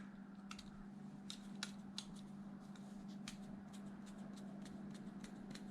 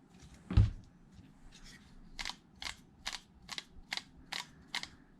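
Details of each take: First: Replacement bearing for an 8-year-old Traxxas Wide-XMaxx motor, hand-spun: a faint, smooth, even hum with only handling clicks and no roughness. Normal bearing spin. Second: 8-year-old Traxxas Wide-XMaxx motor spun by hand: dry uneven clicks about twice a second instead of smooth whir; bottom bearing found bad.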